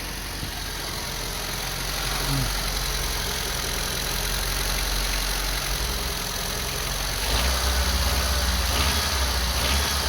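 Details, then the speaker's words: Old Honda CRX barn find started after sitting, clutch works: smooth steady idle with even low pulse under background hiss; runs just like it should, normal idle. "let's listen to it it's always nice to hear it old Honda / come to life oh yeah sweet just like it should"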